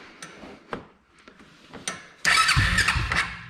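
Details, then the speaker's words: 1999 Arctic Cat 300 ATV that had a starting problem, after replacing a bad spark plug that gave no spark: a few clicks, then the single catches at once and settles into a steady, lively run; starts cleanly. "voila so even though it wanted to run off the starting fluid it was literally still a bad spark plug so go figure"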